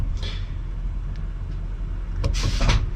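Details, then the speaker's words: Eaton Fuller 10-speed AutoShift truck transmission, engine off, range toggled between high and low: short puffs of air and a soft clunk from the air range shifter actuator; normal range shift, which was absent when it stuck in high range. "Can you hear the air shifter outside there? That's the actuator."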